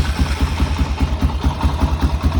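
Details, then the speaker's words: Like-new, low-hours, all-original 2004 Honda TRX400EX single started cold on choke: even, steady thumping of about eight beats a second with no knocks or misses; normal cold idle on choke. "I may have to choke it, I ain't sure. Let's see, let's go ahead and choke it and see what it does."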